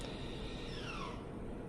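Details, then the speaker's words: 2023 Toyota Prius hybrid on battery, engine off, just shifted from reverse into park: a faint brief whir sweeps down in pitch under a steady low cabin hum as the electric parking brake engages normally. "You notice it shut down, and you could probably hear that little whir in the background. That was the parking brake kicking on."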